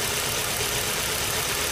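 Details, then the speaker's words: Audi A4 1.8L coil pack test, second fuel injector unplugged at idle: uneven, lumpy idle with a steady stumble and belts shaking; deliberate misfire from the disconnected injector, which clears when plugged back in. "I'll disconnect the second one and you can see it. You can see it bumbling. You can actually hear it."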